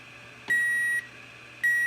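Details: Power Probe 3 fine tip on a fuse in the fuse box: two steady high beeps about half a second each, one second apart, signalling power at the test point, with power on both sides showing the fuse is good.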